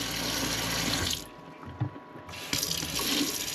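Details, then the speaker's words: RV water pump after controller module install: even hiss of tap water, briefly shut off then back on, no surging or pulsing, steady pressure; owner later found it still pulsed slightly and re-checked the instructions. "It's It's like better than being hooked up to the city water. Nice and streamy."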